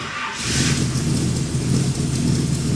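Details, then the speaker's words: Freshly rebuilt V8 in a 1979 GMC C35 just after a ruptured trans cooler line was fixed, timing about 8–10° BTDC: catches quickly and runs steady and full with no knocks or rattles. Healthy, with great oil pressure. "And uh it's running real good. Sounds nice."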